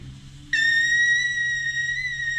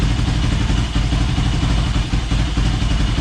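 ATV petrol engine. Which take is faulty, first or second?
first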